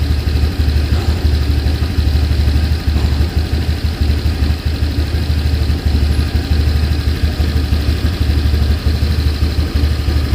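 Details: Vario 125 LED scooter hesitating and stumbling, won't go on initial throttle: steady low idle with an uneven, faltering pulse; scanner showed altitude mode changing, cause found to be a dirty air filter.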